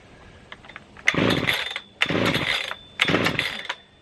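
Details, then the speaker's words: Brand-new Husqvarna 3120 XP chainsaw, startup attempts: three sharp pull-cord bursts, each a brief rough churn that dies; it burped but didn't start fully, owner then suspects it is flooded; cranks but won't start. "what's happening it did the burp but for some reason it didn't start all the way this is what's a little bit annoying with this huswana"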